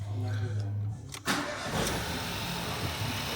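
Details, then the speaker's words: Ford Fiesta after wet timing belt replacement with the oil pump refitted, crank bolt retightened, exhaust refitted, first start after cranking with coil packs unplugged: quick crank, smooth steady idle, no whine from the bottom end; normal start and idle. "And [Music] now it is perfect."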